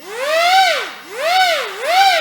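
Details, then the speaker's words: OMP Hobby M2 V3 Pro 3D RC helicopter in normal mode, spooled up: clean whine swooping up and down about every 0.7 seconds as the head is loaded and the motor corrects; normal governor response holding speed. "So I'm gonna go to normal, and I'm gonna spool it up. So it comes up to weight or up to speed. You can tell this is gonna correct."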